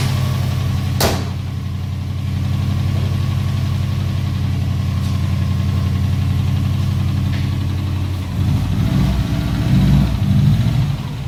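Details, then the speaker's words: Subaru WRX with swapped JDM engine, idling with a few quick revs after parking-lot test drive: faint, uneven low knock under the exhaust note; lingering bottom-end knock, earlier failures blamed on the oil pan. "runs really good I test drove it on the parking lot yesterday and I mean the only thing was the the noise"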